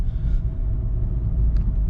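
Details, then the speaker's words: 2018 VW GTI SE test drive after tying down the parking brake lines, the suspected squeak source: low even road rumble, no squeak over bumps; the rear squeak is completely gone. "It's gone, 100%. Nothing. Woo! Oh my God."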